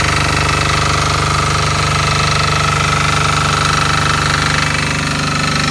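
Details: Fermont MEP-831A military 3 kW 60 Hz single-phase diesel generator, built 2001, rebuilt 2010, 2.2 hours, new oil and fuel, electric fan, just started: even diesel clatter at steady fast beat with constant hum, no stumbling or hunting; normal running.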